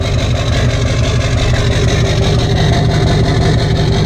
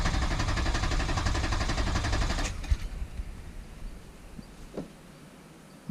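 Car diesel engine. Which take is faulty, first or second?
second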